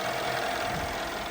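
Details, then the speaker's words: Car idling after a misfire fix with spark plug and ignition coil replacement: steady, even hum with no stumble, shaking or vibration and no check engine light; engine running smoothly. "We are all done. Engine is running smooth."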